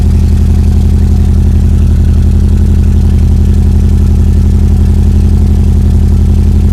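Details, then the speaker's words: Subaru EJ22T DOHC first start on EJ20G RobTune ECU; coil pack wiring found wrong, engine running lean, vacuum only about 10-15. Low, steady idle pulsing about three times a second, slightly uneven; sounds like one cylinder missing: rough idle. "yeah it sounds like it's missing on one of the cylinders"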